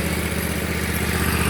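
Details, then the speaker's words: Bradley mower after replacing broken belt-tightening mechanism and new belt (about an inch of play), blades engaged: steady even engine drone, no knocks, slips or squeals; normal running. "And guys, if you know anything about lawn equipment, when I turn that on, you know how it's supposed to sound. And that's it."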